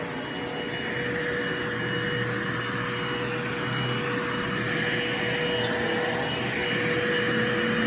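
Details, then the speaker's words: Bissell Lift-Off Revolution Turbo 3760-T bagless upright vacuum, made October 2005, brush roll motor switching with recline: smooth constant motor hum, steady mid-pitched whine, no rattles or surging; normal operation. "that's the switch for the brush roll motor so each time you recline it that it shuts on and off"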